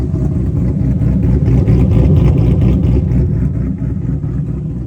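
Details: Coyote V8 swapped into a 2000 Mustang GT on an MS3Pro standalone with drive-by-wire, VCT and Ghost Cam: deep, choppy, uneven lumpy idle with no knocking, the intended cammed-style lope from the tune.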